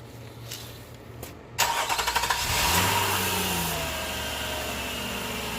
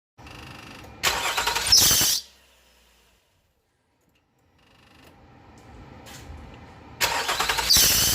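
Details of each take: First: Nissan Murano 3.5L after one new belt is installed and tensioned, with only that belt fitted and spinning: it cranks, catches and runs evenly with no squeal or chirp. The belt squeak is gone so far. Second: Nissan Murano 3.5L at start-up: a loud, harsh squeal flares for about a second as the engine catches, then fades. This is the squeak the car has on starting; it is not yet known whether the alternator/AC belt or the power steering belt is at fault.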